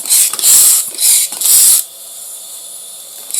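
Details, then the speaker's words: Air hissing in sharp bursts, then a steady fainter hiss, as an inner tube is inflated to locate a big puncture. "can hear it it's big hole the Air's coming out pretty quick right there"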